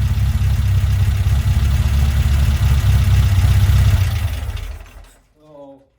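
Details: Herthing with a repaired, previously very bad Weber 44 IDF carburetor: smooth, even low idle holds steady for about four seconds, then the engine is switched off and winds down cleanly. Running well.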